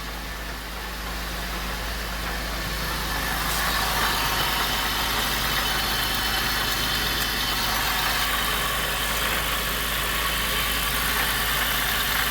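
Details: Pontiac Bonneville SSEI start after transmission swap, transmission fluid low by 2 to 3 quarts: even, steady idle with a smooth hiss and no knocks, misses or rattles; engine sounds healthy.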